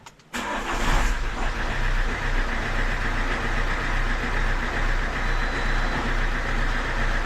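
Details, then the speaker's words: Fiat Doblo 1.6 MultiJet diesel starting after timing belt, water pump, valve train and oil pump rebuild, plus fuel filter change and priming; short crank, catches at once, steady diesel clatter without misses, so timing looks okay. "there here we go well looks like the timing's okay right"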